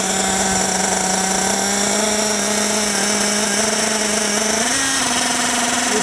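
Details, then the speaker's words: Nitro RC car engine with the low-speed needle deliberately leaned out: a steady high buzz whose pitch jumps and climbs into a thin scream and starts pinging, showing a too-lean low-speed mixture. "I'm going to lean it out and listen to that engine listen to that engine uh start pinging like right now"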